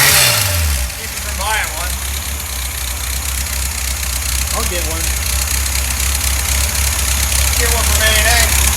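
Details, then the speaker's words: Rebuilt VW 1600 flat-four in a 1965 Beetle; starts right up, steady even idle with smooth low beat, no knocks or misses; normal idle. "yeah I'll get one yeah yeah thats good man yeah it does it does starts right up very nice"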